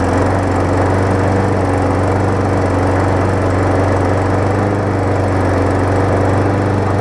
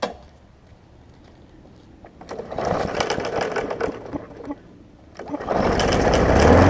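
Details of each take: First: 2018 Murray big wheel mower with swapped-in engine from a badly worn mower, first start; single-cylinder runs steady but slightly uneven and lumpy; rough running at start. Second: 2018 Murray big wheel mower with swapped, reconditioned engine, first start after reassembly: cranks, catches and runs with an even chug of about four beats a second, dies, then restarts and runs steadily; normal running.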